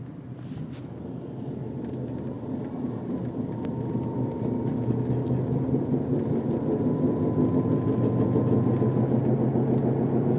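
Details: Thin high whine over road rumble while driving, louder under acceleration, making the car vibrate, silent when braking to a stop; began the day after the wheel bearings were replaced.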